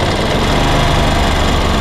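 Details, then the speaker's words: Ducati Monster 900 twin at idle after a carburetor rebuild by Doc Carbu, during a carb synchronization check: only a very small offset, almost perfect. Even, steady low thumping with no hunting or misses. "we have a very small offset but really almost nothing, you see that we're almost perfect"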